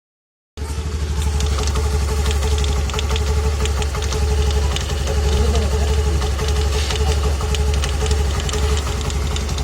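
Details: New Honda Activa 125 scooter idling after the first start of the day or a long break: loose, uneven knocking about four times a second; noticed on day 4 after purchase and persists after three services.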